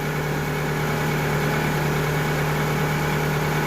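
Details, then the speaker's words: 2000 Toyota Camry idling after alternator replacement and wiring harness repair, load-tested with headlights and heater on high: smooth even idle, no misses, still about 14.7 V charging; running fine. "Still roughly 14.7, close enough. That's still very good. And everything seems to be running just fine, so we are good to go."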